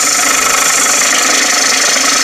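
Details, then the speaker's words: Wood lathe turning a platter, sharp gouge riding the bevel: steady even hiss of fine shavings with no chatter or catching, barely any effort needed; clean cut. "cut, and I'm using barely any effort on that at all. And that's how I know that the sharp tool is doing a very good job of cutting that."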